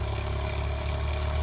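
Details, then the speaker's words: Fresh water pump in a 1995 Damon Intruder RV, tank a third full: low even hum running on and on, slow, never cutting off; pump runs but won't build pressure, no leaks found, inlet air leak possible. "I don't know if you can hear it it's just running kind of real slow like it's trying to get some pressure built"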